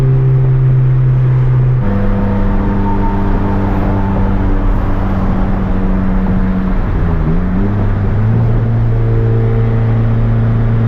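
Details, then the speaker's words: Turbo Honda Civic with fresh built D16 single cam on road test after ignition fixes: pitch dips then climbs smoothly, no stumble; no longer cutting out at any rpm, though logged rpm still scattered. "Now as far as the ignition system goes, it's definitely running better and it's not cutting out at any RPM range anymore"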